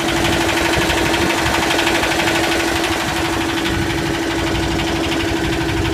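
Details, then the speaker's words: Yanmar SB12 marine diesel after fuel line repair, cold wet day about 41°F, running in forward gear under load: steady clatter with even beat and firm constant drone, no misses or hunting; sounds strong and healthy. "Maybe I've got it running now. It's under gear. It's in gear now, forward. Seems to be pretty strong."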